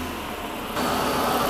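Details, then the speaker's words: Hemi V8 (Hellcat) first start after oil pump replacement, key cycled to build fuel rail pressure: cranks, catches cleanly and settles straight to a smooth even idle with no stumble; no immediate leaks. "always a good sign when it fires like that don't see a bunch of leaks immediately which is always important all right everything looks and sounds good"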